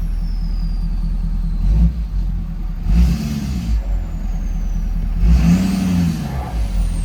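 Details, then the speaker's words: 2011 Ford F-350 6.7 Powerstroke diesel burning heavy oil with white smoke, oil fill cap on; two short revs from idle climb sluggishly and choked, like the turbo has resistance and isn't free-flowing. "it's right it is revving a little weird it's revving a little weird it sounds like it's being held back like the turbo's not actually free-flowing like it's it's got resistance on it"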